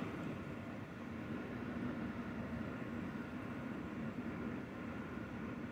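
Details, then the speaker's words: Zotac RTX 4090 graphics card fans at 60% speed under game load (72% GPU utilization), PC under desk, phone mic: steady even rush of air with faint low hum, no ticking or rattle, just becoming audible, normal fan noise. "This is at 60%. Now I am starting to hear something."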